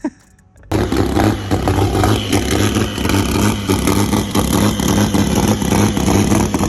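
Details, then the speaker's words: BMW E46 drift car, earlier clip from when it was healthy: loud six barks to life and revs hard and clean, pulling smoothly with no knocks or misses. Normal revving. "but it does run guys and it does sound good put a clip in right here when it was healthy"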